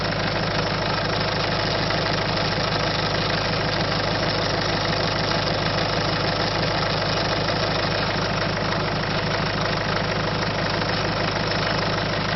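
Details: Peugeot/Citroën 1.6 HDI diesel at idle: steady idle with a regular tapping about three per second over it; abnormal engine noise, cause unknown.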